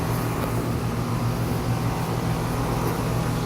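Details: Newly installed AC condenser running: steady low fan and compressor hum, even drone, no rattles, squeals or clicking. Normal condenser operation.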